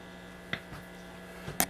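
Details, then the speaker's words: 1937 Zenith 10S130 antique tube radio powered up on a variac below full voltage (about 90 V, 0.6 A): working and receiving stations, but a serious steady low hum under faint static and clicks; cause not confirmed. "yeah it's definitely working but there's some pretty serious hum in this thing I don't even have it at full voltage and it's humming pretty good"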